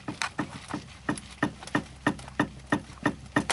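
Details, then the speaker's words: 2000 Chrysler 300M right front suspension rocked by hand: sharp, hollow metal clunks about three a second from a loose sway bar end link, the knock heard over bumps, not the struts. "so this is the actual sound that you hear when you go over bumps"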